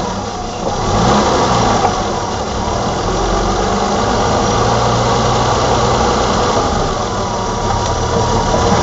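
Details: 1987 BMW E28 520i, M20 2.0 L six-cylinder, 129 hp, nearly 400,000 km, recorded on a Nokia N73 phone: steady, even idle with a smooth low hum, no knocks, misses or ticks; runs excellently again.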